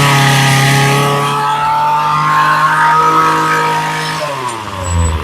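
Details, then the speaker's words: Ryobi two-stroke trimmer after carb rebuild and new fuel lines, having sat unused since spring: steady high buzz at full throttle, dropping off cleanly; earlier top-end popping stutter gone. "that sounds a whole lot better now"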